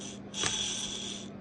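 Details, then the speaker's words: Oil burner fan motor, removed during a rebuild and spun by hand: dry, high-pitched ringing rattle fading as it coasts. Worn motor bearings, to be replaced. "I know you probably can't hear that, but that is very noisy. So that have a couple of bearings in that, which I'll do in a second."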